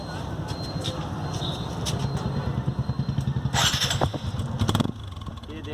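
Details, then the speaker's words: TVS Apache RTR motorcycle after clearing insect nest/dirt blocking the silencer that had changed its exhaust sound: fires up into an even, deep pulsing idle with no choked or muffled tone; normal exhaust note. "तो आप देख सकते हैं ये वही Apache RTR है और इसकी आवाज़ बिल्कुल सही हो चुकी है।"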